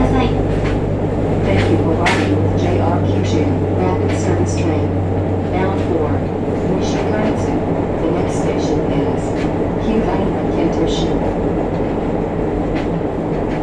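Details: JR Kyushu 303 series set K01, car 4 MoHa 303-1, recorded directly above the Hakata-end bogie between Shimoyamato and Hatae: deep steady groan and heavy rumble rising and falling with motor speed, with strong vibration. Traction motor groan, cause not identified.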